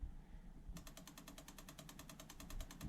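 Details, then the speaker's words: Gen 1 1UZ-FE V8 jetboat engine, off, running an injector test from the Link ECU software: a crisp, fast, even tick train. Each injector fires on test, so all work, which doesn't point to a broken wire. "give you working isn't ticking it's number two becomes number three they all work which doesn't point to a broken wire if all the injectors work"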